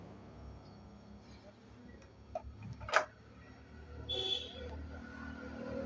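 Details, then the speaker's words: China CRT TV kit power supply with a low-voltage fault, after repair: a soft thump and faint high whine at power-up, and the earlier repeating tick no longer occurs; normal power-up. "तो दोस्तों पहले आप लोगों kit kit की आवाज आ रही थी देख लीजिए कोई भी किट किट की आवाज नहीं आ रही है ए ऑन हो चुका है"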